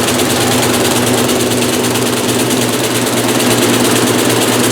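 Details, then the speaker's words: 1996 Maytag Dependable Care Plus top-load washer, first load in new house; heavy spin roar with rhythmic thumping about three times a second as tub slams around, washer tilting and walking even while held; load off balance. "it's walking even with me holding it it's turning like this you guys wonder why because it's off balance"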